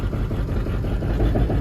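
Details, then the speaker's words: Burnout diesel truck idling during a power balance test: dull knock in the rumble is the exhaust pipe hitting the fender, not internal engine knock; cylinder 4 or 5 found down. "Knocking you're hearing is the exhaust rubbing on the"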